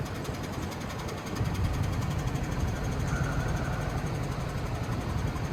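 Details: 2017 Hyundai Genesis G80 3.8, 41,481 miles, rough running and white smoke from one tailpipe after refuelling: uneven stumbling idle with lumpy pulses that skip and wander; dead miss on cylinder 4, at idle and under load, from a bad fuel injector.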